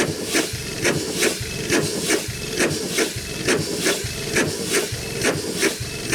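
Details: 100+ year old Chicago Pneumatic steam engine/air compressor, first run in decades, compressor head off: steady chuffing about 68 beats a minute with constant hiss of escaping steam; runs well but packings leak and need adjusting.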